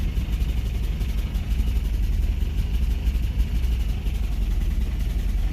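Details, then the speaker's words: Toyota 22RE engine just started after work, throttle let off to idle: low heavy idle with uneven pulsing and slight stumbling, shaking hard; cause unclear, owner wonders about poor battery cable connection or the TPS sensor. "This is one idle now. There it goes. Well, it's got a hard shake to it anyways."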